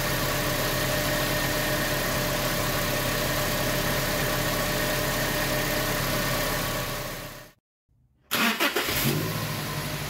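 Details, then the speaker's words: 2019 Toyota Tacoma 2.7 L started fully cold after replacing belt, tensioner and idler pulley: smooth, steady idle with no metallic chirp or rattle from the belt side; cuts, restarts cleanly and settles, all normal. "bien como se pudo ver arranca de manera completamente normal Eso es lo que queríamos"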